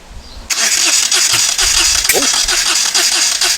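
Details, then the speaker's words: Moto Guzzi twin, not run in over ten years, rebuilt carbs, aftermarket Harley coil, HT leads temporarily swapped: steady cranking about four beats a second with a few sharp pops, first pops ever, but never catches. "that's the first time it's ever popped and bangs and so I've now put some more fuel in the carbs"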